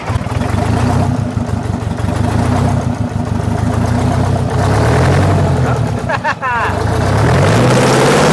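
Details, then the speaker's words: Kenworth T800 semi with Detroit 8V71 diesel, parked 7 years, first runs after revival: strong crisp diesel bark picking up cleanly on each rev and settling back without misses, likened to a race car; engine runs healthy. "Listen to that thing. That sounds... Oh, yeah. Wally, that's insane, dude. It sounds like a race car."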